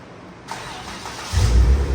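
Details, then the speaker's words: Jeep Wrangler JK 3.6 after new wiring harness installation for a misfire: starter whirs, engine catches cleanly and settles into an even idle with no misfire. The wiring fixed the problem. "ya no se oye que está Miss fire ahí así es que problema solucionado con la cablería"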